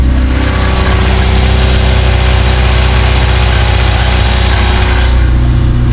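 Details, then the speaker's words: Renault Express (Extra) van, carbureted, just started cold on choke after battery change, needs full service: loud deep raspy idle with even chuffing beat; exhaust leak from known holes in the exhaust. "It needs a full service as you can probably hear. Sounds a bit meaty. It does need an exhaust. It's got holes in the exhaust."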